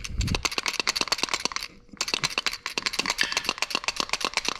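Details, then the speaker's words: Pickup truck starter removed during rear main seal job, already broken at hot-wire terminal: quick dry metallic rattle, about eight to ten clacks a second, from starter drive; owner unsure if normal, suspects play. "can hear the starter drive in there. I'm not sure if that's entirely normal. She might be getting some play to her"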